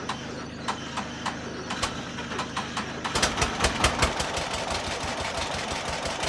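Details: John Deere model B two-cylinder tractor, cold start, first start since summer: slow uneven cranking on a nearly dead battery catches quickly into a steady putt-putt with crisp regular pops; healthy cold start and idle.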